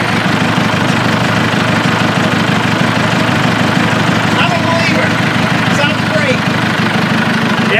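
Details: Old bulldozer restarted after a short cool-down during pond cleanout work: a loud, steady diesel chug of about three pulses a second, even with no misses or knocks; it idles smoothly.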